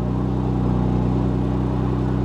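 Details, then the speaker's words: Porsche Macan S, possibly a twin-turbo 3-litre, 83,000 miles: fires right up and settles into a smooth, even low idle with no knocks or misses, so it is healthy. "Actually sounds really good. This is nice."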